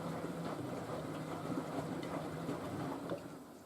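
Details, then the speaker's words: Miele W562 washing machine, large towel load on Cottons 95°C with Water Plus, heating stage. Constant 55 rpm drum tumbles give a slow rolling swish with soft thuds as the laundry turns: a normal wash tumble. "probably wait to the spins just doing constant 55 RPM tumbles usually the machine does this for thee for the heating stage"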